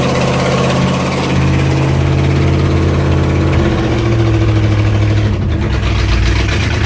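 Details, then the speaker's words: 1969 Corvette 427 V8, 4-speed, Brodix aluminum heads, first start about ten minutes in: fast sharp puffing tick on the rumble, rising with revs; driver-side exhaust manifold leak, apparently a bolt head kept it from seating, melting three plug wires. "it sounds to be like we do have a little bit an exhaust leak sounds to me like it's over here on the driver's side"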